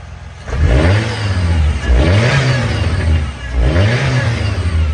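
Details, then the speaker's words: Abandoned 2001 Chevrolet Cavalier with a new fuel pump and fuel filter and a patched fuel line, running with the fuel tank still lowered. Engine blips up three times and falls back cleanly with no misses; normal revving. "we got fire in the hole. So fuel tank's just sitting there. I was testing my line modifications, you know, added 75 extra horsepower to make sure it's going to hold up."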